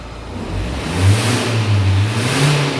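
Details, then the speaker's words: Renault Captur 1.5 dCi with power loss; engine revved, loud airy hiss surging with each throttle press from split turbo boost hose just below the first accordion fold, a common dCi fault: boost hose leak. "On n'ira pas plus loin, vous avez entendu le durée de suralimentation comme d'hab, maladie sur les moteurs DCI, là, 1,5 litre, Renault, Dacia et Nissan."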